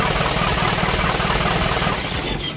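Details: Isuzu 4HG1 diesel, running after no-start troubleshooting (defective supply pump module found): regular, even clatter at steady idle with no misses or hunting; normal idle.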